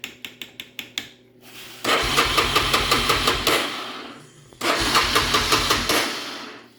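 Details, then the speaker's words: Honda Fourtrax ATV after new handlebar switch, lights and exhaust work; a few short starter bumps then two long cranking runs with steady chugging that never catches; no spark, stator suspected. "okay let's check for spark I guess mhm okay that could be the problem uh check the stator number one"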